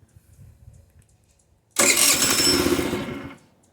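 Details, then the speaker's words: GY6 50cc/150cc scooter, clogged pilot jet: silent, then catches on a burst of throttle via the accelerator pump, roars about a second and a half and dies; won't hold idle, only stays running with repeated throttle past quarter throttle. "I hit the throttle a few more times start it up and I keep hitting the throttle it'll stay running and I can rev it up"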